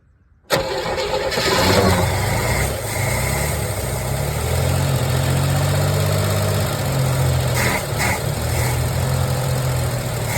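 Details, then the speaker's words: 1981 Chevrolet Camaro, 3.8 L V6, sitting since 1989, carburetor bowl filled by hand; cranks, fires within half a second and settles into a steady, even idle with a smooth low rumble, little smoke, running decently. "That is awesome. That is absolutely awesome. Actually didn't smoke much at all that time. That's kind of cool. Ran remarkably pretty decent."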